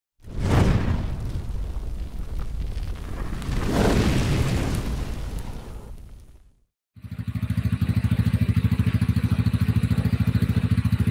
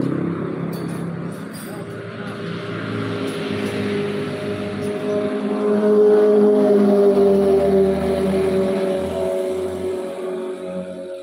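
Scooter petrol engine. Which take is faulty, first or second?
first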